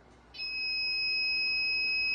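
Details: New Ender 3 3D printer, first power-up: continuous high-pitched alarm beep and stuck on boot screen, possibly caused by a shorted hot-end thermistor.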